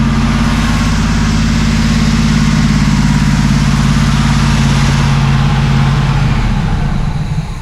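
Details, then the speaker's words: 1979 Camaro Z28 carbureted V8 after carburetor rebuild and tune-up: even, fast idle after a rev, then the beat drops as the idle is turned down before the engine fades out. Idle was set too high. "Take a rev now. Get just that idle down just a little bit."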